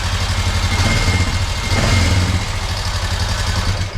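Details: 2021 Honda Foreman 520 4x4 ATV single at idle, before valve adjustment. A light, fast ticking over an uneven idle thump. Valve tick from excessive valve clearance; the specs are intake 0.006 and exhaust 0.009.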